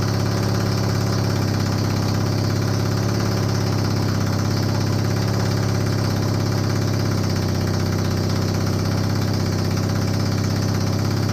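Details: Honda CB250N Superdream twin project bike, new spark plugs, partial choke, after long non-start: steady low even thumping idle, no knocks or misses; settled and running smoothly.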